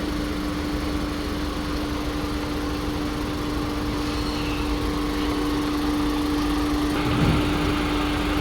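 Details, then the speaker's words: VW Polo Vivo petrol engine idling on startup with an uneven, lumpy low beat: misfire on cylinder 2, clearly audible and visible; coil pack suspected fine, fault traced to spark plug or fuel injector, carbon-fouled spark plug checked first. "We seem to be having a misfire on cylinder 2. On startup and I can clearly hear and see the misfire."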